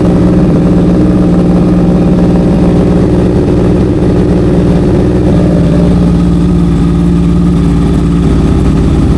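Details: Honda CBR650F (CB converted) at idle, customer reports stumbling while riding: lumpy uneven idle with a missing exhaust beat; cylinder 4 is not firing, and spark plug or ignition coil is to be checked.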